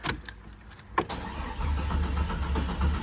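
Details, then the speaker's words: Jeep XJ junkyard rebuild with the fuel pump jumped to run: quiet clicks, then a steady low churning crank with an even beat that never catches; crank no start, owner suspects the crank sensor, which he plans to replace. "nothing not a not a damn [ __ ] thing"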